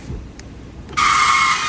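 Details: 2021 Kia Forte rear window: a loud high-pitched screech rises when the window rolls up, not down, and holds until it stops; two seal flaps dragging on the glass are the cause, and cutting them out stopped the noise.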